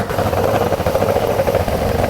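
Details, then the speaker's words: Porsche 911 2.8 RSR build flat-six on Link ECU: lumpy, uneven idle with stumbling, off-beat exhaust pulse; misfire with cylinders 1 and 5 not running, so on four of six cylinders. "Okay, we've got at least 2 cylinders out. We've got cylinder 1 and cylinder 5 are not running. So, all right, so that was running on 4 cylinders, not 6."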